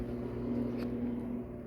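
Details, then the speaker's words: GE washer taken in on trade, set to spin: steady low drain pump hum but tub won't turn, no spin-up sound; control knob also broken. "Got a GE washer, just took in on trade and put it on spin. You just hear the pump going,"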